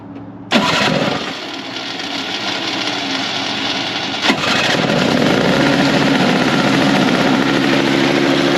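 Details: Toro snowblower about 25 years old, electric-start after replacing a dry-rotted primer bulb: engine catches within a second, then settles into a steady, even idle with no misses; running normally after repair.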